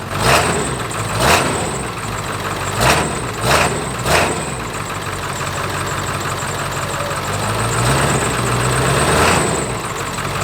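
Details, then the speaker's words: Shuttle bus diesel with the exhaust open at the downpipe, no stack fitted yet: loud, raw idle with five quick blips barking out sharply, sounding deeper and different when revved; open exhaust at downpipe. "It sounds a little bit deeper. I think if we rev it, or like if you get on it, it definitely sounds different."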